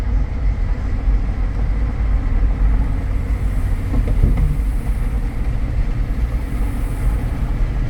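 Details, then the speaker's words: 2014 Jeep Grand Cherokee Limited 4x4, known for the 3.6 tick, cruising at about 58–60 mph on cruise control: low, even road and engine rumble with no suspension noise, clunks or grinding; normal highway cruise. "I don't hear any suspension noise. I'm up at 60. I'm going to turn my cruise on and make sure that works."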